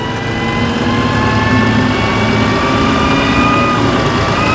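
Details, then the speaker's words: STI crane truck diesel chassis with PTO kicked back on: engine climbs smoothly to a raised, steady idle with hydraulic pump whine rising alongside; normal raised idle with PTO engaged. "So that's really nice. Yep. Kick the PTO back on, idle"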